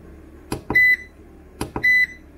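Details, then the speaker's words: Vevor 5500W (EM 5500-48L) 48V inverter, charging its battery at about 1 kW from solar: pairs of soft clicks then a short high beep, repeating about once a second; the warning buzzer, which is then muted. Meaning not given. "akkor lenémítom hogy többet ez ne szólaljon meg nekünk mert hallottuk a hangját nagyon szép egyébként"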